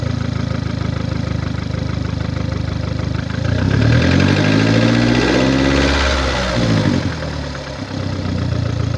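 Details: 2009 VW Golf MK6 1.4 petrol (CAXA, 90 kW/122 PS), 272,900 km: rhythmic puffing tick at idle, about four per second, quickening with a throttle blip; caused by a defective head gasket.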